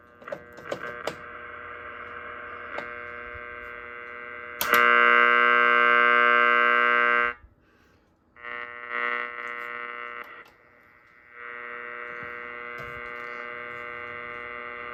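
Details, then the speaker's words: Marconi Atalanta marine receiver tuned to around 150 kHz: steady buzzing hum with rough overtones that comes and goes with tuning; workshop interference below 1 MHz from switch-mode power supplies, wall warts and LED lights. "Um at the moment um tuned to around 150 kHz and in this this workshop there's a lot of interference below about 1 MHz. It's coming from computer power supplies, wall warts, LED lights, all sorts of things."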